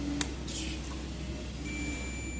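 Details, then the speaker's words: MX HP Pro 20000 amplifier in protection mode: clear continuous continuity beep on buzzer mode across the removed transistor confirms it shorted. "Buzzer पे रखेंगे और इसे check करेंगे, जिसे निकालेंगे। ये शॉर्ट दिखा रहा है।"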